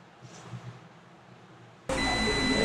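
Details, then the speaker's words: Dell Latitude E7470 laptop (Compal LA-C461P rev 1.0) not turning on: multimeter in continuity mode on the 19 V power rail filter capacitor gives a steady continuous beep, showing the rail shorted to ground. "as you can hear it's beeping that means this 19 volt power rail short to ground"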